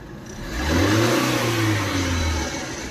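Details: Maruti Suzuki Eeco on CNG, after clearing clogged silencer/catalytic converter that caused poor pickup and starting trouble (codes P0133, P0130, P0171): engine revs cleanly on throttle blip and settles back; normal running.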